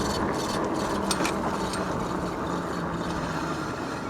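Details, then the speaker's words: Tracer Loiter 26-inch cruiser ebike, 800W, while riding: uneven scraping, ratchety rustle repeating a few times a second; rider suspects front wheel bearings or brake, also some motor noise; front wheel noise while riding. "Now, there are some extra noises. I don't know if you can hear that, but the motor does make a little bit of a noise here. The bearings in the front wheel."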